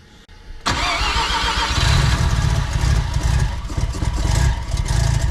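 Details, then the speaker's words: Big-turbo semi-peripheral-port Mazda FD RX-7 rotary fired up for the first time: brief crank, instant catch, then loud, fast, choppy high idle estimated around 1600 rpm; normal for the port. "And being a semi-PP, it doesn't idle low, it idles about, I think it'd be about 1600, so it's loud."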